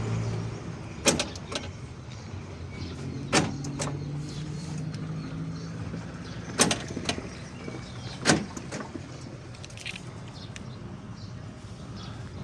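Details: Daewoo Matiz central locking driven by an aftermarket five-wire Chinese relay replacing the burnt original: four crisp, separate lock clunks a few seconds apart over a quiet background; the actuators fire cleanly and locking works normally.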